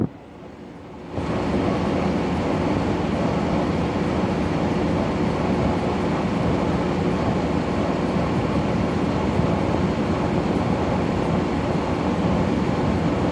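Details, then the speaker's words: Brand new LG air conditioner in the living room, bought at Home Depot and tested at 1 AM: the compressor kicks in with a constant rough drone and a low groaning, "aching" undertone that shouldn't be there; the fan blows fine; cause unclear. "It just makes a little just makes a little aching noise. You hardly notice it. You should just hear the compressor one, and you shouldn't be hearing any aching noises at all."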